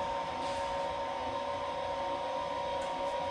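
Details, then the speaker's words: Fifth-wheel RV electric (not hydraulic) auto-leveling system after clearing error and re-homing: steady even electric motor whine at constant pitch as front jacks retract, no grinding or stalling; normal. "so I'll run these front ones back up and show you that we can start the auto level process"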